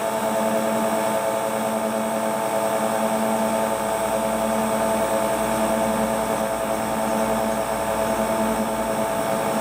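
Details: Hotpoint Ultima WT960 washing machine (7kg) test spin after repair with a brand new replacement drive belt; smooth, even whirring roar at steady pitch, no thumps, slapping or squeal; drive running cleanly, normal spin cycle.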